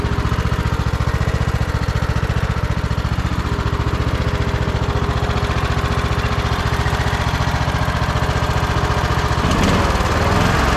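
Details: Troy-Bilt Bronco riding tractor with Kohler Courage engine after swapping in a Walbro carburetor, new spark plug, fresh fuel and blown-out lines: firm, regular beat of about four pulses a second with no misses or surging; normal idle.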